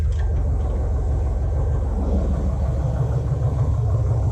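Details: 2007 Chevrolet TrailBlazer SS V8, first start in the garage after an electric fan conversion using LS1 fans and shroud and a PCMofNC wiring harness. Steady, even low V8 idle rumble with a smooth fan whoosh, no knocks or misses; healthy idle.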